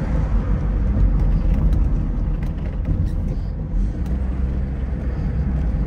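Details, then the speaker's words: Opel Ascona convertible, Luxus trim, top down, driving on a hot day: low steady road and engine rumble over bumps with no knocking or rattling from the soft-top frame; no convertible top rattle. "Vocês estão ouvindo o barulho da estrutura da capota batendo não né porque não bate faz barulho nenhum"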